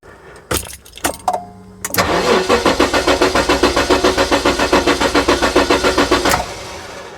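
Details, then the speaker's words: 1994 Jaguar XJ6 stored several months, low battery suspected: sluggish, regular cranking about three and a half turns per second for four seconds, never catching. "so the ECU was shutting down cuz the battery was too low I put a booster battery on it now it cranks"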